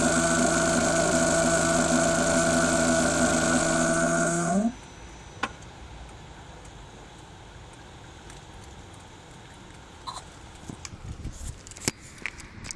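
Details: Audi TT engine bay with a loud, steady multi-tone whine that cuts off abruptly, heard after a new PCV valve and jet pump were fitted; cause unknown.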